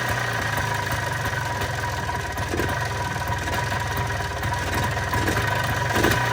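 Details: 1995 Polaris Trail Boss 250 ATV after fitting a new spark plug, on choke: busy two-stroke idle with even rapid putter, no missing beats, holding idle; normal idle.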